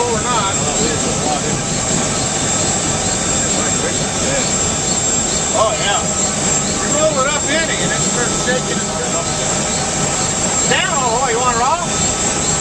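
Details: UH-1 Huey turbine engine running after rebuild: steady high turbine whine holding even under rotor and exhaust rumble; turboshaft healthy at a stable run.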